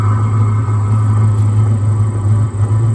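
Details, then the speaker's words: 2025 Vevor diesel heater, new, warmed up with the thermostat set to 78°F and air coming out at 78°F: deep, steady low drone with no surging or popping, settled into smooth, regulated running. "It sounds like it it just hit like it just regulated. It just hit cruise control. That's where it wants to be."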